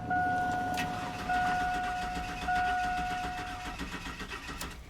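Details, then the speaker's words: 2002 Chevy Silverado 4.3 L, died while driving: starter cranks steadily under a door chime but engine never fires; crank-no-start traced to faulty distributor cap and rotor. "so as you can hear the engine cranks but it doesn't start"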